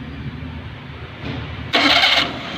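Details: Maruti Suzuki 800 with starting problem and a tight clutch pedal: low uneven cranking churn, then a sudden harsh high-pitched grinding whirr for about half a second, abnormal starter noise on cranking, cause unclear.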